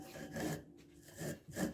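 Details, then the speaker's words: Volvo 240 worn driveshaft center bearing spun by hand gives bursts of dry, gritty rasping before replacement. "So first of all, we're going to go, before we do that, we're going to go and change out my center bearing."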